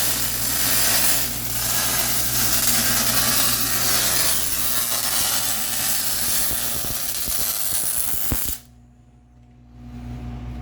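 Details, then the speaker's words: MIG welding motor mount for Honda Odyssey FL350 electric conversion after wire speed lowered to 5.5: steady, even crackling sizzle for about eight seconds then stops; smooth consistent arc, normal weld sound. "I can sit there and turn the wire until it sounds like scrambled eggs."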